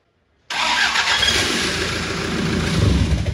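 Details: First start of a freshly swapped Toyota 1KD-FTV diesel in an LN106 Hilux, engine not yet bolted down: it catches almost instantly and settles into a steady clatter with no misfire or knock; a clean start.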